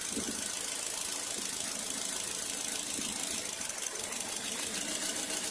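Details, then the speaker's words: Engine idling with one fuel injector connector unplugged: an uneven, stumbling idle with a shaky chug. The vibration grows as if starved of fuel, showing a misfire from the disconnected injector. "sana nakita niyo yung nginig niya iba lumalakas parang kinakapos ng gasolina"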